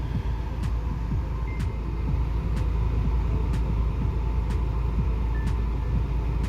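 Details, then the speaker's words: BMW after AC system repair with new compressor and recharge, engine idling with AC at 16° and fan up: steady even idle with a light regular tick about once a second; new compressor quiet, old one squeaked. "that is starting to feel like AC yep H such a difference having working AC in the car again and a quiet compressor"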